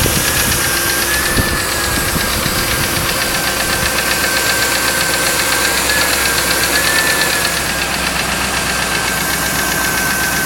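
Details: 1995 Lincoln Mark VIII LSC with the Ford 4.6 DOHC V8 at idle: a steady tap-knock about four times a second rides over the engine note. Owner is unsure whether it is lash adjusters or piston slap/rod knock.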